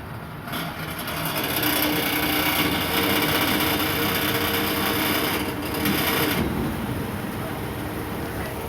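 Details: 2008 Toyota Sienna van: fast, fairly even whirring tick about three per second over the running engine in the engine bay; owner suspects muffler, fan or alternator, source not confirmed.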